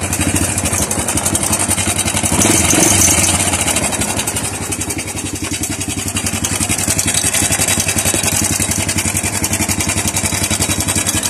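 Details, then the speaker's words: Honda Wave 100 idling with a loud, fast metallic clatter from the cylinder head: the cam chain slapping because the roller guides were crushed. "hindi tayo nagkamali sa ating suspetsa kung bakit may biglaang pag Inay o kalansing sa kanyang makina dahil yun sa nadurog ang kanyang roller guide"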